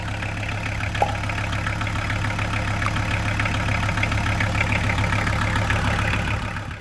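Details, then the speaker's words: VW T4 van with an early AAB 2.4 diesel, after swapping the too-long 13x1125 belt for a 13x1100 alternator belt and re-tensioning: an even idle with its usual low clatter and no belt screech; the alternator is charging. "No more screeching from the belt. The alternator's still charging nicely, there's no battery light on, and the belt's not wobbling around while the van's running."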